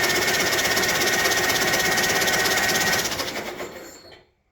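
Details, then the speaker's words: Old locked-up tractor in sub-32°F cold, starter energized directly bypassing the switch, no oil pressure shown: starter spins the engine briskly with an even chug about three times a second, then coasts down; healthy cranking. "Thinks over pretty darn fast. I think the body of the starter seems pretty good."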